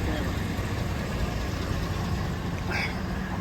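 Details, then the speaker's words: 2007 Chevrolet Silverado running with a fast, light metallic ticking rattle on acceleration from under the truck; the starter's bendix drive gear is not fully retracting and drags on the flexplate. "That, my friends, is the starter. The bendix, the bendex of the starter. Yeah. Not fully pulling the the gear back, the drive that engages the fly, the flex plate. Okay. The bendix of the starter is not fully retracting. And that's what that freaking noise is."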